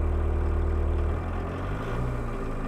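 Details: 1.6L turbo diesel Mk1 Rabbit, recorded inside the cab with mic on chest while raising idle via fuel pump screw for winter: steady, even low drone, idle settles slightly lower partway, smooth, no knocks; normal raised idle.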